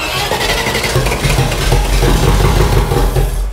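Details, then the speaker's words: Range Rover Classic V8, about 30 years old, first start after 7 years unused and running with no exhaust silencers: a loud, raw, throaty open-exhaust burble with even firing and no knocks or bangs; a healthy engine. "Go Beast sounds sick don't it that's loud though yeah it needs the silencers on bit"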